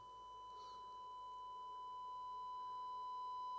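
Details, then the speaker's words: Nordmende Super 250-9 tube radio with EL41 output tube, after power supply and audio section restoration, previously low audio; volume at maximum, tubes warmed, 200 V 100 mA draw; steady loud test tone, no hum or crackle; audio working again. "oh that's pretty loud that's pretty loud i'm gonna put it on dummy load so we don't hear the noise that is pretty loud"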